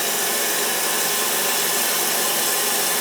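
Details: Mansfield toilet that kept running, after a new gasket, handle and supply line, and after the blocked hose was cut and reattached: a steady, even hiss of water filling the tank with no gurgle, squeal or chatter. The fill valve shuts off properly.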